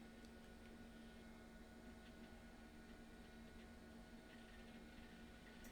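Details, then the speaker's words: Restored Macintosh SE/30 whose hard drive had not been spinning, so it was opened up. A faint steady hum with light seek ticks is heard. The drive spins up normally, and it boots on the second try. "Can I hear that hard drive? Yes, I can."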